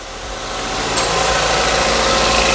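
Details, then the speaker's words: Ford Puma, broken and sitting six months, first start after the four injectors and vacuum pipe were reconnected: catches and rises to an even, steady idle, no misses, knocks or rattles; runs brilliantly. "It runs absolutely brilliant. Oh, I'm so chuffed. I didn't know it was going to be that easy."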